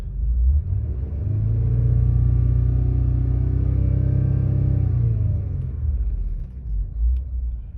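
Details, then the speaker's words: 2005 Acura TL being checked for clicking after starting, about 53 minutes running, still shaking slightly: engine revved, drops back with a brief extra rise before settling to idle; cause unknown, owner unsure if normal. "So it kind of jumped a little, like what was that? You see that? Is that normal? See how it kind of just like kind of revved up a little bit again before it went all the way back down?"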